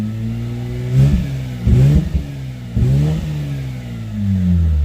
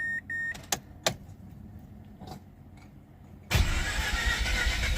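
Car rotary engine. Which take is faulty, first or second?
first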